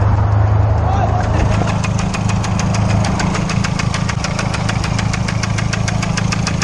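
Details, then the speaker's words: Freshly built race car engine, untuned, blew up after 600 miles: sharp metallic bottom-end knock about two hundred a minute over a lumpy idle; owner calls it rod knock, still drivable. "So I blew it up. I got rod knocked. But I can still drive it home."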